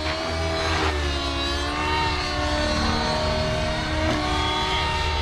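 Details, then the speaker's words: Nitro RC helicopter, OS 55 AG engine on 30% heli fuel with power boost pipe and OS #8 glow plug, warmed after needle tuning, loaded at high head speed: high-pitched note rising and falling smoothly, no sputter or sag; normal smoke trail, good mid-range power. "so that smoke Trail is about normal that mid-range feels good"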